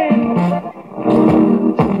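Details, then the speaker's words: Vintage transistor radio on FM, powered from 12 volts: guitar music sounds thin, boxy and rough, suggesting a bad speaker (suspected). A bad audio transistor or capacitor is also suspected. "Speaker sounds bad. Yeah, speaker is bad."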